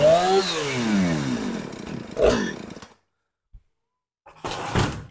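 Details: Husqvarna 455 Rancher two-stroke chainsaw, which sat a couple of years and wouldn't start, now running on fast idle with choke and idle turned up: revs with a rising buzzing whine, drops back, short blip, no misfire. Normal running.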